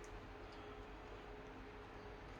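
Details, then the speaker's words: New Samsung washing machine on its roughly 3-minute empty calibration spin: faint, even hum with a light steady tone and no rumble or grinding, far quieter than the worn-out Hotpoint it replaced, whose bearings had failed. "can't even fraking hear it we're living in luxury now boys compared to the last one"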